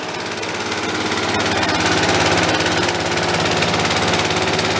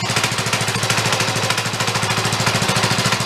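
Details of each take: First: DR Power Wagon single-cylinder engine, apparently crash-damaged estate-sale find, cold just after first start, steady throttle: fast fairly even metallic clatter; seems to be just something rattling, not the motor, cause unconfirmed. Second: Neglected DR Power Wagon small single-cylinder engine with dirty oil: smooth, steady, fast even firing with no misses or hunting; now running well.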